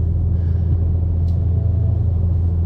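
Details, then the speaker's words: 2019 BMW 540i driving at speed, right front wheel hub/bearing. A deep droning roar rides under the road noise and grows when weight is transferred onto that side by swerving. Worn right front wheel bearing, to be replaced. "so my right front bearing has a little bit of a i'm noticing a little bit of a roar now uh if i transfer the weight"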